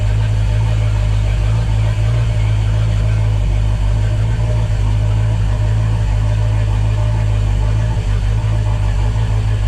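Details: Volvo Penta 5.0 GXi marine engine started after replacing throttle position and MAP sensors and checking injectors and compression; deep heavy idle with uneven throb, running lumpy, which owner attributes to plugs having been dried and cleaned; cause unconfirmed.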